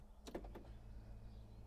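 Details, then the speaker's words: Audi A2, ignition switched on, listening inside: short cluster of sharp clicks then quiet, from the rear left door lock area; diagnostic tool points to the rear left door again after earlier door replacement, cause not confirmed. "now something else happened so let me show you if we go in and i will try to to put the ignition on and to listen"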